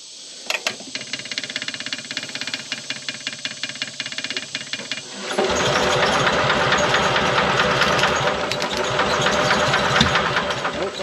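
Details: 1970s Onan RV generator, long unused, spark plug refitted: steady starter cranking about two to three beats a second for five seconds before it catches. Hard starting; later misses on one cylinder, owner suspects sticking intake valve losing compression.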